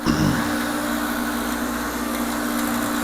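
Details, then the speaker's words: ProTemp 45K BTU torpedo heater, intake filter missing, switched on: steady motor hum with a constant low tone and no burner roar. The built-in gauge shows zero pressure, so it is an air pump problem and the heater does not fire. "there you go there is no pressure whatsoever in here so that tells me that there's an air pump problem in this right off the bat"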